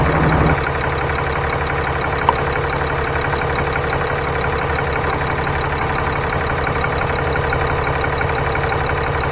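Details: 2015 Ram 3500 6.7L diesel idling after turbo wastegate actuator replacement, coolant at 131, then gassed a little. Steady, even clatter with a constant low hum, no misses or surging. Normal idle.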